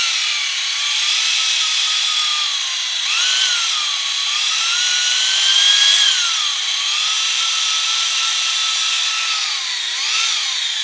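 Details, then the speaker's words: Fresh Ford 300 straight six for a 1954 International R100, before first start, oil pump primed with a drill turned clockwise in the oil pump drive: high drill whine drops in pitch and strains, then holds lower as the pump loads up with pressure. "Take you a good drill, put it on top here, turn it clockwise, and you should hear it load up and get some pressure, and then run it, and we'll pump some oil through this engine."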